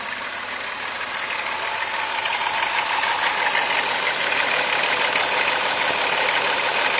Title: Chrysler 3.3 dźwięk łańcucha rozrządu timing chain noise